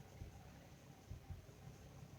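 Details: 2006 Infiniti M35 idling under load, in gear with AC cycled: a low rumble breaking into an occasional uneven stumble, an intermittent misfire traced to bank 2 via air/fuel ratio sensor data.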